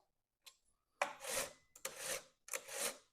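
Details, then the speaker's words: Stihl or Husqvarna chainsaw chain pulled by hand after tightening from a sloppy, loose state: three even rasping pulls, rotating smooth and free, catching the sprocket with proper tension. "So, you should hear that sound. That's the sound it should be making. It should rotate nice and free."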